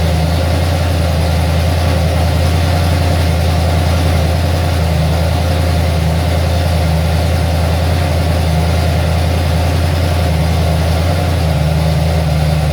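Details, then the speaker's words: Ford XC Fairmont 351 V8 on a run stand with new Thermoquad carburetor, choke not set up: deep steady burble, even firing, slight unevenness, no knocks or misses; not perfect but running acceptably. "it's not perfect but it is running all right"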